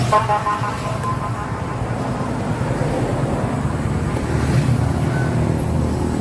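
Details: Yamaha YTX125 after its carburetor was cleaned, which fixed the misfiring and stalling: the engine runs smoothly and holds an even note over road noise, with no sputtering; running normally.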